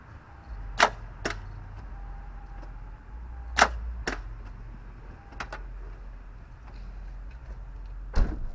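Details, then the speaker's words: 2002 Toyota Camry that stopped on the freeway, jumped with a good battery: sharp single starter clicks every few seconds with no cranking; engine oil dipstick bone dry, seized engine suspected. "And when we go to start it, basically all you're hearing is just the starter clicking."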